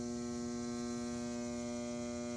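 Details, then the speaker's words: Vintage Fleetwood sewing machine from an estate sale, switched on: a steady electric hum holds at one pitch with no rising whir of the needle running, so the motor seems stalled against a stuck mechanism; the owner suspects it needs oiling and cleaning inside. "that's the way you get it going okay old machine it needs to be oil this does move but i've worked on a lot of machines you have to open this inside and clean it"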